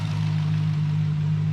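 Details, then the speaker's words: Holden VE SS Ute V8 with cam, cold idle while warming up, listening for the notorious lifter tick: steady even low rumble, no ticking or knocking; normal idle. "But this one sounds pretty good. And we'll just let it come up to temperature."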